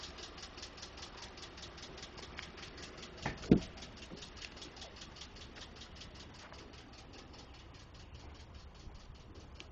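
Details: 2012 Ford F150 5.0 V8 at idle: a light, even tick at about four to five per second. Others suggested normal noise from the injectors, the fuel pump or engine tolerances; the cause is unconfirmed.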